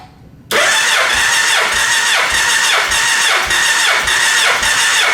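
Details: Gen 1 Suzuki Hayabusa with an ignition miss, cranking compression test on cylinder 3, reading 172 psi, consistent with cylinders 1 and 2 (173, 175). Brisk, even cranking at about three compression pulses a second; good compression.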